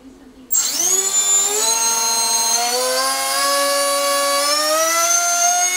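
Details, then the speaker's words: SunnySky 2207 2100kv motor on 6S bench test, cranked toward max throttle with cheap soft Chinese props: loud whine rising then holding high and buzzy with fluttering edge; props resonating, prop likely reaching its limit; motor cold, ESC warm. "Well, as you heard those props, they were kind of flaring like resonating because these are these are the cheap Chinese ones and they are soft as hell."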